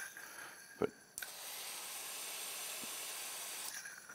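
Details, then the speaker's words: 2015 Polaris RZR 900S with a dead cylinder: removed fuel injector bench-tested, sharp single clicks and steady hissing spray show this injector works; the other proved inactive. "most importantly you can hear it clicking"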